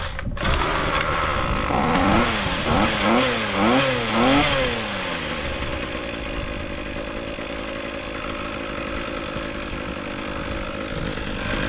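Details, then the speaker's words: Ryobi two-stroke string trimmer, once not running, now starting easily after repair, with the shaft gearbox still locked up: it blips up and down a few times, then holds an even buzzy run with no misfire, running fine. "all right so that sounds pretty good uh starts starts easy and seems to be running good"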